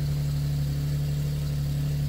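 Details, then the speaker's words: Nissan 370z after fixing a common fuel pump fault cheaply and priming the pump: starts and idles with a smooth, steady low hum, no stumble, miss or tapping; runs normally now. "No freaking way. Oh, it works now."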